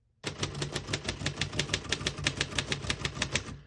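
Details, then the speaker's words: 1948 Royal Arrow portable typewriter typing. Quick, evenly spaced key strikes, roughly five a second, each sharp and clean. All keys type well with no skipping or sticking; normal. "As you can see, all the keys type nice and none of them skip or stick."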